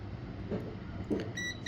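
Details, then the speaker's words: GTX 1050 Ti 4 GB graphics card repair: two short steady multimeter continuity beeps on both sides of a capacitor on the main 12 V line, showing it shorted; failed 0-ohm resistor also found, capacitor removed. "देखो, इस तरफ भी beep की आवाज आ रही है और इस तरफ भी बीप की आवाज आ रही है। जबकि मुख्य 12-वोल्ट लाइन पर बीप की आवाज नहीं आनी चाहिए।"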